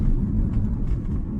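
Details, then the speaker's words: 2012-2020 Ford Focus after replacing the front right sway bar link: only steady tyre and road rumble over rough road, no knocks or clunks; front suspension now quiet. "After replacing the front stabilizer link, you need to drive on a rough road and see how it behaves to check for any knocking. After such work, the knocking disappeared. Without a sound."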